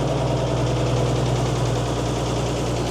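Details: Mercedes-Benz 911 4WD diesel truck, first start after sitting many years, oil pressure building well. Even idle at around 200 pulses a minute, deep and steady, with no knock, miss or rattle; normal idle.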